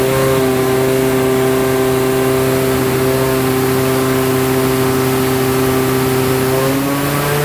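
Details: Scoff R5 GT on C85 fuel, 3.3 bar boost, GTX4202 turbo, 963hp dyno pull: high-boost roar under load with an uneven stumble, a misfire being chased, cause not yet found.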